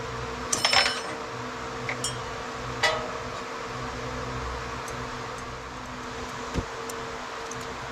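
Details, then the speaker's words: Old Craftsman indirect-drive 120V wood lathe, after a lopsided, badly wobbling pulley was remounted straight and aligned with the drive pulley: steady, even motor hum at constant pitch with a few stray clicks, spinning smoothly with no wobble. "All right. If you notice, that's much better."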